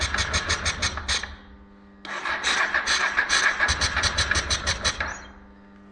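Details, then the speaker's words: 1996 Honda NTV 650 that sat 6–7 years, with the carburetor cleaned, running on a booster because the battery is weak, choke on: cranking breaks into ragged bursts of sharp pops and cracks, backfiring a lot while trying to catch. "oh oh it's backfiring a lot"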